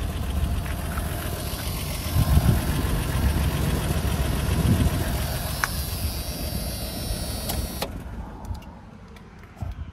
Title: Blown Head Gasket - Oddball 80